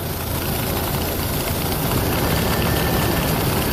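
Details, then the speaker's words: Jeep Comanche first run after sitting 10 years, with new fuel pump and very bad old gas in the tank: uneven, lumpy idle with irregular beat and sagging low rumble as if about to stall; rough running, cause not confirmed. "oh all right so it runs it freaking runs oh it sounds like he's gonna die"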